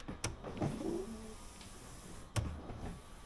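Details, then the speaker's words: 1980 Triumph TR7 windshield washer pump: a short, even electric whir lasting under a second between switch clicks; the washer pump runs freely and sounds healthy. "oh that's a wiper washers they work maybe we need wipers"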